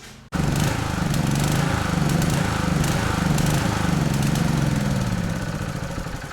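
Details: Honda petrol generator idling unevenly, its low drone wavering and lumpy instead of a steady hum; fixed simply by unscrewing the fuel cap.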